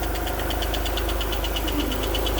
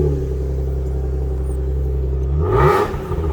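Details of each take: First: Alfa Romeo GTV V6 not started for several years, with a correctly tensioned cam belt and a new battery: light, quick, even tappet ticking over a steady idle, as expected with no oil yet at the top of the engine. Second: Finished Alfa Romeo GTV V6 light restoration with new cam belt and dual exhaust; starts, settles into even idle, two clean quick blips rising and falling smoothly, crisp exhaust note; normal start and rev.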